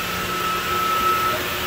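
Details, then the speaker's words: Closed-loop water source heat pump circulation pump in an old central plant, heat exchanger plugged and outlet butterfly valve throttled closed: steady rushing hiss with gravelly crackle over motor hum; pump cavitating from starved inlet. "you can hear it cavitate oh hear that not happy"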